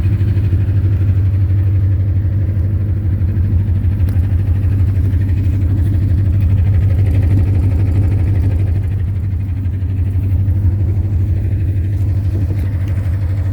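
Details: 2010 Ford Mustang GT V8 at idle; steady idle with a regular low knock on each firing pulse, owner told it could be rod knock or lifter tick, not confirmed.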